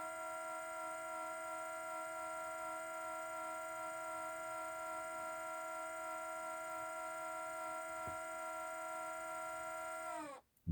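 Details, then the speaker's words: Parked car, engine not started, at minus three degrees: a steady humming tone holds about ten seconds then drops in pitch and stops; cold-weather only, said to be exhaust-related, unconfirmed. "t's only happening because it's cold out here it's minus three today they tell me it has something to do with the exhaust"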